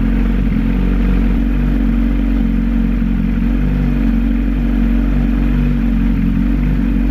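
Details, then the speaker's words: 2008 Suzuki Hayabusa, about 18,000 miles, just started after a clutch repair for a metal-on-metal noise from the clutch area: smooth, steady idle with an even low beat. The grinding and metallic rattle heard before are gone. "that sounds a lot better i don't hear the grinding or the [Music] metal on metal that i heard before so that's awesome sounds great"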